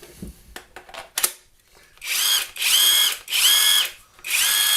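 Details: RUYIKA 21V 460Nm cordless impact wrench after regreasing its gears and refitting the housing screws with battery on: four clean bursts of high, even motor whine, steady pitch, no grinding; normal, smooth operation.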